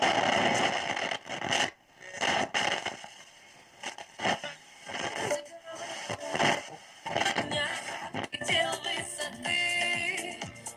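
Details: Ural-Avto 2 car radio: station audio cuts in and out with scratchy crackles and dropouts while tuning; worn variable tuning capacitor squeaks badly and barely holds capacitance.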